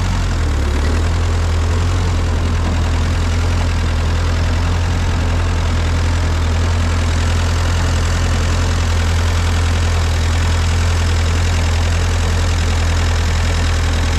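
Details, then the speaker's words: Ford 8N tractor at idle: steady heavy low chug with slightly uneven, lumpy beat, still not idling well; owner suspects the miss comes from an intake leak. "still doesn't want to idle too well but put the mower down"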